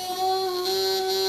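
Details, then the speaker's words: Relay wired as a self-interrupting tickler fed 11 V AC through a rectifier: steady nasal electrical buzz that gets louder pressed on the desk, arcing between normally closed and common contacts; self-interrupting relay buzz. "so what i'll do now is i'll turn it on and immediately you hear the relay start buzzing"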